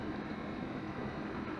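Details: Dishwasher mid-cycle, running about fifteen minutes after a pump repair and heating water: steady soft rushing hum with no grinding or rattling. Pump noise is much reduced and tolerable, though the impeller may still rub slightly.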